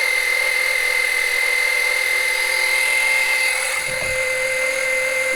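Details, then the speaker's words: Small electric extractor pump sucking engine oil through the dipstick tube for an oil change on a 2007 Monterey 214FS with a MerCruiser 5.0 MPI. It gives a loud, steady high-pitched buzzy whine, gets a little hot and is slow; normal running. "it is pretty loud let me turn this thing off it is pretty loud it does get a little hot"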